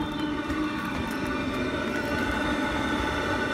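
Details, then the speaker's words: Webasto Thermo Top C fuel-burning heater on a Freelander 1 TD4 diesel, fixed by fuse-5 resets, fuel priming and forcing the glow plug: after lighting, a steady even roar with no misfire, fan speed rising, clicking from the rear wheel arch. Normal running. "so this is it correctly working starting up you can hear clicking from the rear wheel arch yep you better hear that clicking fan speed is increasing"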